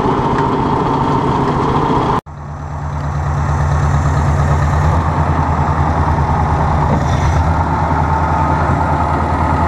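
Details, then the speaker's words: Ford 600 tractor first start in 20 years; after a brief cutout settles into low even idle with regular beat, no misses, no smoke, oil pressure pretty good, not charging; normal idle. "That's working. No smoke. Oil pressure's pretty good."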